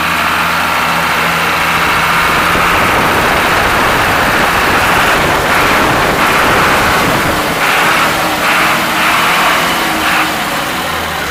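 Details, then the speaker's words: Ashok Leyland bus diesel engine started after many years of storage: steady, even idle clatter with no misses or knocks, no smoke; engine healthy. "ആ ലൈലാൻഡിൻ്റെ സൗണ്ടൊക്കെ കേട്ടില്ലേ, നല്ല super സൗണ്ടാണ്."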